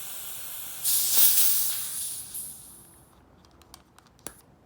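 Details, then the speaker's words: Etek 3 paintball marker with tank on: sharp, steady high hiss for about two seconds from the solenoid exhaust, with a busted LPR piston seat found as the issue; solenoid air leak. "let me turn it on so you see what it sounds like can you hear that that's the solenoid in there leaking"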